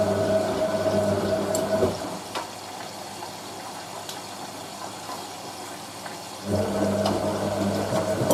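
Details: Hotpoint 9530 Electronic 1000 Plus washer, Programme 4 50°C coloured synthetics, polyester/cotton load, final rinse: steady hum with rushing water fill, dropping to quiet trickle mid-clip then resuming; normal rinse fill with pump.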